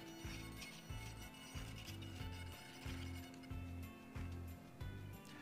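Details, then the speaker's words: HobbyZone Sport Cub S 2 RC plane with SAFE/AS3X stabilization on: short digital servo buzzing bursts about every half second as surfaces move and hold; normal. "the digital servos can make that odd buzzing sound but this is completely normal that is the safe and as3x providing stability for your aircraft"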